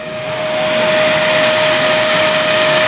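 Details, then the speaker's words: Vantech case fan (stated 55,000 RPM model) turned up all the way to about 5,400 RPM, mic held close, added to cool a Phenom II 1055T at 3.75 GHz in a micro ATX case; loud steady whoosh with constant high whistle, insanely loud, normal high-speed fan. "don't know how well you can hear it out there, but this is insanely loud if you're in a room by yourself."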